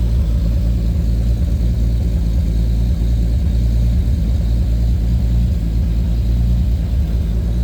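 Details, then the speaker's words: Lexus IS300 with swapped 2JZ-GTE turbo six, BC 276 cams, on a Fueltech FT550 first start with only a base idle/startup tune: steady, even low rumble with a smooth regular beat, no misses or knocks, fuel correction under 1%; normal healthy idle. "so it [Music] runs this thing has a BC 276 cams in there so it's running pretty good correction is barely doing anything there at less than 1 %"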